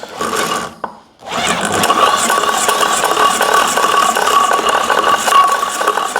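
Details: Fiat 126p (Maluch) engine on 92% denatured alcohol instead of petrol, carburettor drained: short catch then silence, then uneven clattering run at about two or three beats a second that won't hold steady; starts then stalls.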